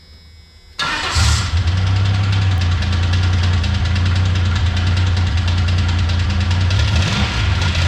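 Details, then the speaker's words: 1985 Pontiac 6000 wagon with supercharged 3800 V6: engine cranks, starts and idles with a steady low knock about four times a second; began while driving normally, owner wonders about earlier burnouts; bottom-end damage suspected. "So, yeah, as you can hear, it's knocking. I don't know if I made too many 11s in the street doing burnouts or what, but I was driving at normal when it happened."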